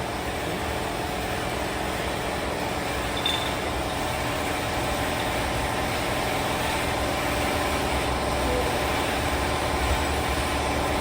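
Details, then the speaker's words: Newly bought used Neo 125 scooter idling: a rough, uneven, rattle-laden drone from the CVT belt-drive side; worn primary transmission kit and belt, and the noise disappeared after the complete primary transmission kit was replaced. "ela ficou com esse barulho quando foi ligada sem a transmissão mas depois que foi ligada com a transmissão trocada o barulho sumiu rapaziada"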